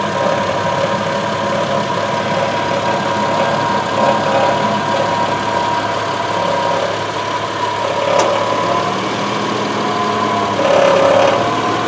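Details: 2002 Subaru Outback L.L.Bean at idle, before repair. A light, uneven tinny buzz flares every few seconds over the engine note, from a loose exhaust heat shield.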